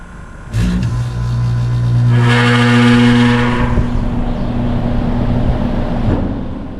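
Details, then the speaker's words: New HVAC package unit condenser fan motor at switch-on: loud droning hum with rough clatter swells then eases, every start, louder at night when cold; noisy startup, motor suspected. "So it does that every single time it comes on. Sometimes it's louder than others."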